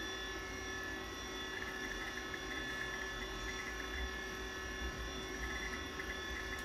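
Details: 1987 Apple Macintosh II running: a steady high whir with a fainter lower hum from worn hard drive bearings; the drive may be failing but still works.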